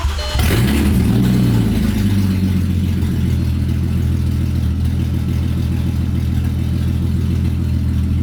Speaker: All right, I'm gonna fire it up. There's no exhaust right now, so it's super loud.